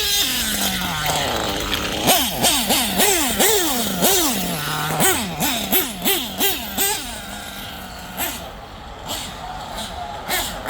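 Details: Nitro RC engine after LRP exhaust leak fixed, tune still being worked on: quick high-pitched throttle blips, each rev clean and crisp, no sputter or puffing; normal running.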